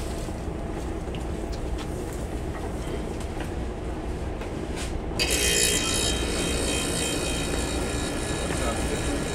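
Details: Bain-marie refrigeration compressor that had been humming and shutting off from a bad capacitor/relay, now with a 3-in-1 start kit fitted: low steady hum, then the compressor kicks on with a louder, even whir.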